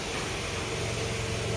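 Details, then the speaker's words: Older Toyota Camry after water pump replacement fixing a growling noise traced with a stethoscope to the water pump: short steady low-hum idle with no rumble, grinding or knocking; normal idle. "seperti ini jadi suaranya kembali halus"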